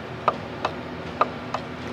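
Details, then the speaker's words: 2010 Shelby GT500 with low boost, supercharger belt off, pulley pulled and rocked by hand: four light uneven clicks from slight shaft end play, no grinding or rubbing, spins smoothly both directions; blower itself judged fine. "so that to me is normal like i said there is no weird noises turning this"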